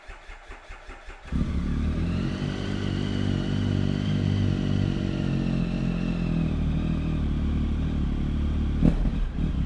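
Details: 2013 Triumph Tiger 1050 ABS triple, 16,365 miles, full service history, Arrow silencer: brief rapid cranking, then catches cleanly and settles into a steady, even idle with deep exhaust note; healthy start and idle.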